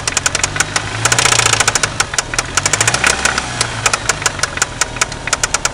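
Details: 1993 Eagle Talon turbo, stock 7-bolt engine, idling: loud, rapid metallic knocking in time with the engine; confirmed a spun connecting rod bearing, with piston play found and, once the oil pan was off, play between rod and crankshaft.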